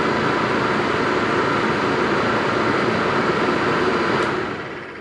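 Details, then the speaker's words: 1958 Plymouth Suburban two-door wagon blower motor bench-tested on 12 volts at high speed: steady, even rushing whoosh with no ticks, squeals or grinding; motor healthy. "Oh yeah, look at that. Blowing everything around over here. So that is high speed and it works excellent."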